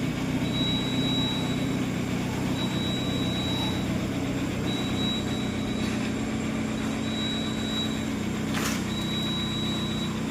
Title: Mahindra XUV 700 alternator bearing noise problem